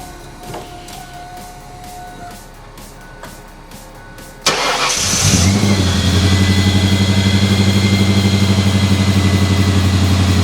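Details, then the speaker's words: 2000 Ford Explorer XLT 5.0L V8 AWD after replacing serpentine belt, upper and lower idler pulleys and tensioner; engine catches quickly into a smooth even idle with the previous startup belt squeal gone; normal start and idle. "yes there we have it looks like the belt squeal is gone and uh yeah it didn't take that long and relatively inexpensive"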